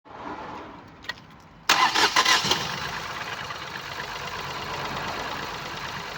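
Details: 2019 Ford Focus IV 1.0 EcoBoost petrol, 998 cc B7DA, 125 PS, 91,787 km: engine catches and settles into uneven, stumbling idle with regular missing beat; misfire from no compression in cylinder 1.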